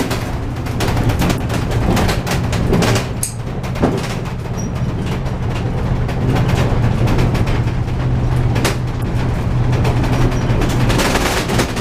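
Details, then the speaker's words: Horse trailer towed on rough roads: constant loud rattling and banging over heavy road rumble, worse on the rough stretch, from the loose trailer door and ceiling; weather stripping on the door is planned to quiet it. "That door though is going to be really rattling. I'll have to put something on that door."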